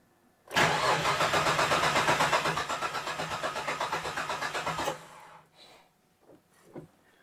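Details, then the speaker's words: 1967 Ford Anglia 105E with Mitsubishi 6A13TT engine, Link ECU: starter cranks steadily about four beats per second and never catches; ECU capture shows cam angle signal but no crank angle sensor signal; crank no start. "so we have a cam anger sensor but no crank angle sensor so first thing to look at next then is crank angle sensor"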